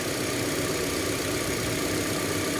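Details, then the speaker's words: Hyundai Elantra petrol engine idling with an uneven, lumpy beat and shaking; misfire persists after new spark plugs and ignition coil, check engine light on; caused by faulty crankshaft position sensor (CKP), hard starting. "So pwede rin niyo itong mai-apply sa panto accent so mamalya yung makina yan kung makikita"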